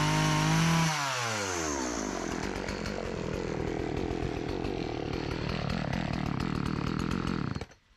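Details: Old Partner 405 two-stroke chainsaw, repaired of stalling on throttle, sharpened chain, just refuelled after running out of gasoline, cutting very hard almond wood. Drops from high rev into a steady loaded note with even chattering pulses, then clears. It cuts well.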